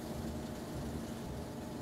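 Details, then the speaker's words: Frigidaire Gallery top-load washer in service test mode: drain pump runs about eight seconds, then spin starts; steady low motor hum with a faint even tone. Normal spin cycle. "all right so you will hear the drain pump come in for about eight seconds and now we have our spin going on two seconds after that"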